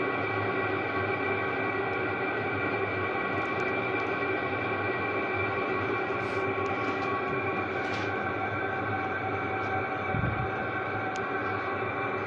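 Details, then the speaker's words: Chinese diesel parking heater turned to level 3 (half): steady, even roar with constant hum, no surging or popping; medium temperature and fuel use, exhaust still very hot, burning cleanly. "so that's a medium temperature medium fuel usage the exhaust is still way hot and it's still putting out pretty good heat here"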